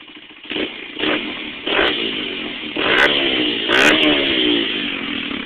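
Sharp single-cylinder blips rising and falling cleanly with the throttle, crisp and loud through the exhaust; sounds healthy and free-revving.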